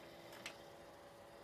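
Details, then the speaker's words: PC CPU cooler fan (Thermaltake TR2-R1, 92mm, AMD socket) running: steady hum with sharp tick, pretty loud; bad bearing in CPU fan, power supply fan okay. "pretty loud yep that's definitely this sounds like a bad bearing"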